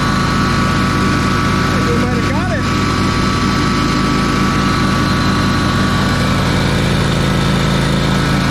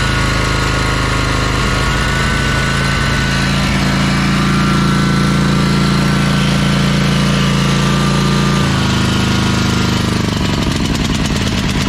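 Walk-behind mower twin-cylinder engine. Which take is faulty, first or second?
second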